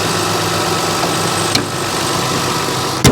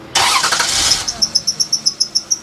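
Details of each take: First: 2003 Toyota Highlander 1MZ-FE at idle after replacing and adjusting the alternator, A/C and power steering drive belts that had been squealing: steady smooth hum, no chirp or squeal; normal idle. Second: 2003 Toyota Highlander 1MZ-FE at idle: engine cranks and catches, then a shrill chirping squeal repeats about five times a second; squealing worn drive belts (alternator, A/C, power steering), to be replaced.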